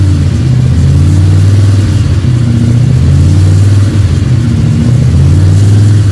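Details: Freshly built 302 Cleveland V8 with a Holley Sniper and electronic distributor, about 20 minutes into cam break-in: deep, steady burble with smooth rises in revs and no knocks or rattles. A healthy engine running in.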